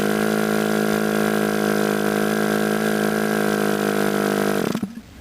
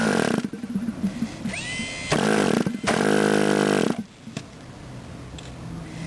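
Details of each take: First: Model airplane glow engine being started, throttle opened little by little: a high steady buzz settles in for several seconds, then cuts out abruptly. Engine starting to fire. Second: Model airplane glow engine after starting: sharp buzzy throttle bursts, then it drops to a soft steady low idle with no misfire or surging. Normal idle.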